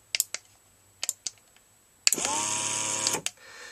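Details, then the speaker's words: BEME e-Rod motorized drapery drive on the bench, moves only one direction: crisp relay clicks with no motor sound as the failed relay's contacts carry no current, then short motor whirr the other way. "so relay is clicking but the contacts inside are not carrying current"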